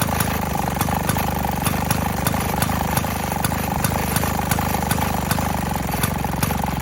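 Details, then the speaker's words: 1928 Maytag gas washing-machine single-cylinder engine on a cart; sometimes reluctant to start, then fires; crisp, evenly spaced pops about twice a second, steady; old engine running healthy. "sometimes it doesn't like to start right away we'll see what happens okay here we go oh there she goes"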